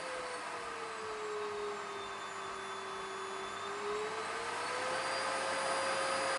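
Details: Samsung SC4034 vacuum cleaner after motor replacement (was humming loudly, working poorly): smooth steady roar whose whine sinks then climbs as the speed regulator is turned, regulator working normally.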